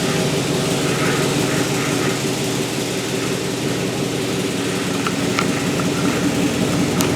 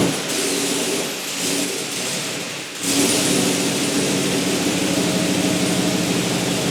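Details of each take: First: Turbocharged 1961 Chevy pickup with LQ4 swap, day 5 of first start after replacing a faulty throttle actuator controller: steady idle with a fast, faint puffing tick from an exhaust leak at the turbo V-band clamp. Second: Turbocharged 1961 Chevy Apache pickup with LQ4 engine, first start on day 5 after fitting a junkyard throttle actuator controller: steady even note after a brief dip near three seconds, no stumble or hunting; running smoothly. Exhaust leak at V-band noted.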